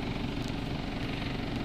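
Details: Engine idling smooth and steady after a thermostat replacement, done because coolant reached only about 150°F after 35 minutes and set an operating-temperature code; after about 10 minutes it reads about 190°F.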